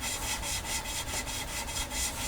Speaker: the grinding compound is doing its job it's making it smoother when that stops it should be nice and smooth